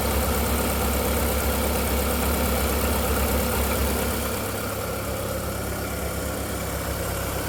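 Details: VW Golf 4 1.6L 16v 105 hp petrol at steady idle with quick, fairly regular clack, three to four a second; startup whistle disappears after 2–3 minutes, owner suspects timing side. Clacking noise at idle, source unknown.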